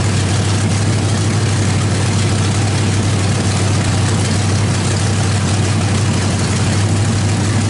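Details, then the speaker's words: 350 small-block V8 with a Thumper cam, freshly started on open headers, no mufflers or exhaust yet, not yet in the truck; loud, steady deep rumble with an even beat, no knocks or ticks, motor sounds great. "um that motor sounds great uh you know once we get an exhaust on it couple Mufflers uh maybe get it in the truck it'd be really nice to hear that Thumper cam"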